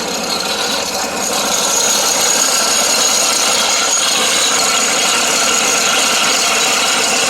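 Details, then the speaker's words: John Deere 652R mower that came in for no power, cranked up after sitting, possibly flooding: harsh scraping rasp about three times a second; rough grinding from something other than the pulleys, cause not confirmed. "It cranked up after sitting for a while, but you can hear this noise. I think we might have something else going on here too"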